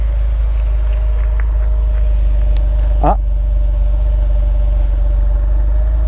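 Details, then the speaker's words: 1995 Renault Safrane Biturbo, 268 hp twin-turbo V6, just started: steady, deep idle rumble with a faint constant whistle on top, smooth and even; a healthy idle. "le démarrage de la biturbo. Alors effectivement le bruit moteur Oui, c'est voilà voilà un V6 on voit que 6 cylindres c'est un peu rou derrière quand même."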